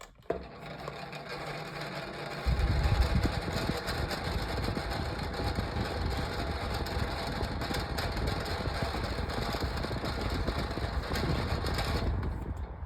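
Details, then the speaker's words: 9-inch Dayton fan started on low: a dry scratchy rasp runs under the motor hum, possibly from play in the blade. Scratchy noise. "I'll go ahead and start it up on low and you're going to hear that it makes a scratchy noise."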